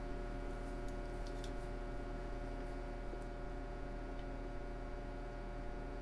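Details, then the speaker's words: 1940 Zenith 10S464 tube radio power-up test, with supply voltage brought up to about 75 volts; steady low mains hum with faint buzzy overtones and no crackle from the speaker as high voltage arrives; normal hum at power-up. "seventy five volts now we'll probably start to hear some humming from that speaker soon and when we do that'll tell us we have some high voltage"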